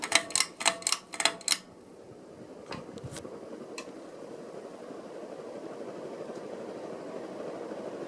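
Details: Catalina Lighting Square hugger ceiling fan, dated April 1987: switch clicks, then a soft smooth whoosh building steadily on high, with no wobble or knock heard; normal running on high.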